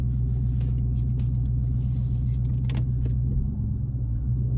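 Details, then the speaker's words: 2016 Dodge Charger idling after transmission mount replacement, shifted in and out of gear: steady, even low idle rumble with no shudder or thump; the earlier extra vibration is largely gone. "I'm just moving it in and out of gear here. Seems like a lot of that extra vibration I had is gone."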